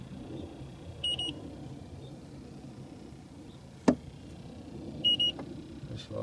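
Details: 2010 Trane/American Standard package heat pump, not heating well: two short high electronic beeps about four seconds apart over a quiet hum as the detector finds a refrigerant leak at the service valve core, which had a plastic cap.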